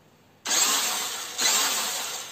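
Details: Cheap RC off-road car that previously powered on but died when throttled: two sharp bursts of high buzzy motor whine as throttle is blipped, spinning up cleanly without cutting out; motor runs normally.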